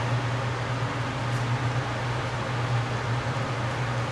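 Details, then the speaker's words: Port-A-Cool Cyclone 2200 evaporative swamp cooler after replacing the broken submersible pump and cleaning the media: steady, even fan rush over a low constant hum, no knocks or rattles, blowing cold air; normal running after repair. "air blows out of the back see it it's there and I can certify that that is definitely cold"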